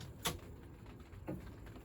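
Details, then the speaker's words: EV van at 42,900, after fitting a replacement battery: two crisp clicks about a second apart at switch-off; high-voltage contactors opening normally. "And I just need to keep an eye on this basically and listen to the contactors and just make sure it's all good."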